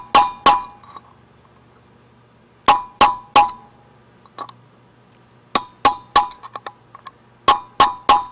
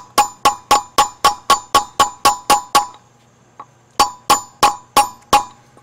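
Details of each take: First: Boat trailer hub bearing replacement: sharp hammer taps with a punch in groups of two or three give a short solid knock instead of a ring, showing the inner bearing race is seated on the hub lip. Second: Trailer hub bearing race being driven in with a punch: sharp metallic taps about four a second with a clear ringing tone; the tone changes once the race sits on the hub, and here it isn't seated yet.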